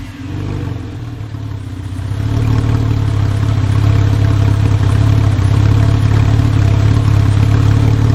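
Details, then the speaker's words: 996 Porsche 911 Carrera, manual, as bought: deep raw booming exhaust swelling and staying loud as revs climb; no mufflers fitted, far too loud. "not it's not good it has no mufflers it's a little too wide"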